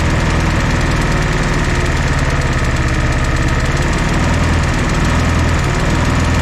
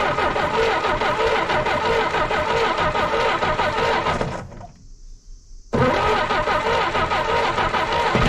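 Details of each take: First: 1964 Jeep CJ5 barn find, previously seized engine, just revived: loud, steady four-cylinder idle with even firing, no misses or knocks over exhaust rumble after the fourth cylinder kicked in; smoky but smooth. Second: 1964 Jeep CJ5 barn find with a previously stuck engine, early start attempt: it runs rough, stumbles, cuts out and dies. Owner can't tell if it's getting too much fuel or not enough.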